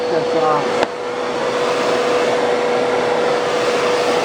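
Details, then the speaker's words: Bissell PowerForce Turbo vacuum, canister not yet cleaned and brush belt burnt off: thin, steady high motor whine with little air rush as the hose plugs up, airflow blocked. "that noise is when it plugs up"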